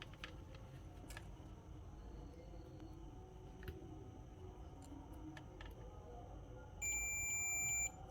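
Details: Samsung Galaxy M31s with speaker fault persisting after sub-board replacement, battery disconnected, multimeter buzzer mode on the FPC connector cable: one steady high beep about a second; line has continuity.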